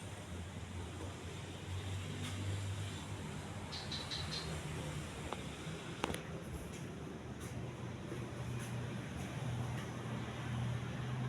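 Steady low hum with only a few faint ticks, even and smooth throughout; the fan is running normally.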